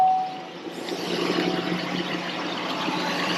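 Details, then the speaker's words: 2003 GMC Sierra, started on a borrowed good battery: quick catch, then even smooth idle with no knocks or misses, sounds like a low-mileage engine; normal start and idle. "sounds like a low mileage car as well. cuz those that have heard my truck does the other truck does not sound like this at all."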